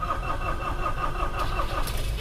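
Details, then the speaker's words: Mitsubishi L300 (Kuda) diesel brought in for blow-by with oil loss and smoke, engine rebuilt only about 4 km ago: the starter churns slowly and unevenly and the engine won't catch quickly; suspected dead glow plugs or dropped compression, not yet checked. "agak lumayan ulet ya hidupnya itu nggak langsung tapi mobil starter ulet itu memang juga banyak faktor kalau L300 bisa dari busi pemanasnya mati juga menyebabkan ulat kompresi drop juga menyebabkan ulat"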